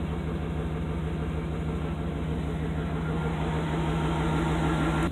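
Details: Vehicle idling evenly after a new alternator replaced an old one with squawky, noisy bearings; steady low throb with faint accessory hum, no bearing squeak, misses or rattles; gauge shows about 14–15 volts charging; running healthy.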